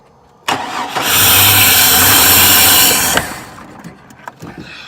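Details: 1999 Chevy Blazer, 141,000 miles, that won't stay running, with spray into the intake: fires and roars about two seconds, then dies to silence; fuel pressure not yet checked, cause unclear.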